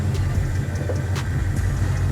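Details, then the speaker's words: Holden VE Commodore SS V8 at a car auction inspection, aftermarket headers, dyno sheet about 240 kW: deep, even rumble with a slight cammed lope but no stumble or tapping; a smooth, steady idle. "there she goes it actually idles quite good it doesn't sound too sticky or anything like some of the other cars did"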